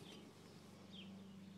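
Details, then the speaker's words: Driver's side rotor hand-spun with brakes disconnected, turning almost silently with no grinding or rumble; a good wheel bearing, shown for comparison with the bad other side. "this is your driver's side and this is what it should sound like when you spin the rotor"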